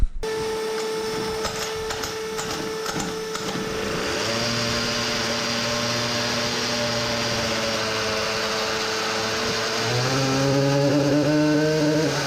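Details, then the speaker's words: Samurai 40cc two-stroke on dyno, exhaust shortened back to original length, at -15C with a cracked chain: rough misfire at high revs; cause found as burnt CDI, narrow PCB copper track overheated from high-rpm current draw. "misfiring...oh man.... allright so it didn't go too well again found the reason for the misfire, the cdi is burnt"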